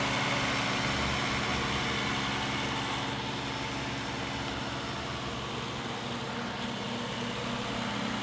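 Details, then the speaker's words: Poorly maintained engine, low coolant and oil leaks, started with jump packs: steady idle with a faint, even tapping about four times a second; owner suspects rod knock, rod hitting the top, unconfirmed. "So yeah, most likely the rods are hitting the top or but we definitely got a lot of work to do. So that's what it sounds like and looks like."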